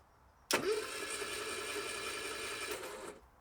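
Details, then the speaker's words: Metro 1275 A+ engine newly installed in a classic Mini. Starter spins it evenly for about 2.5 seconds with oil pressure and compression but it never catches: no spark, linked to wiring faults. Spark came after sorting the electrics. "No spark. No spark. Okay. What have we got wrong?"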